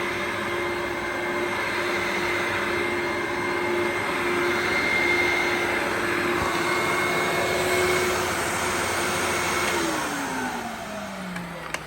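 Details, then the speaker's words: Old upright vacuum with refurbished sole plate and brush bar, used for years without a filter, running on carpet: steady even motor hum with clean high whine, then smooth spin-down at switch-off; motor fine. "Pretty well. This thing just keeps going on forever and ever. Even after a few years of use without a filter, the motor's absolutely fine."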